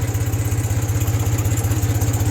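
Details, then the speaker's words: 1974 Ford 3000 gasoline tractor revived after being water-locked, new cylinders, muffler and wiring: steady even low chug at idle, regular beat, no knocks or misses; engine runs smoothly and healthy. "it's pretty crazy to think this thing runs like this knowing it was completely locked up like it was"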